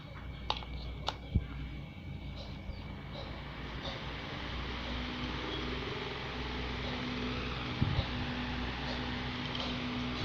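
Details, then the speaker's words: Maspion fan with worn, scored shaft, repaired and oiled with sewing-machine oil: a few handling clicks, then steady quiet motor hum with no scraping or rattle; fan spins fast and smoothly. "posisinya langsung bergerak kencang dan suaranya halus"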